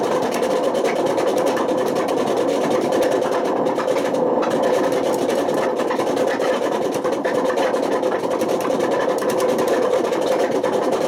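A loud, steady roar with a gritty hum holds through the whole high spin, typical of drum bearings worn badly enough to damage the spider.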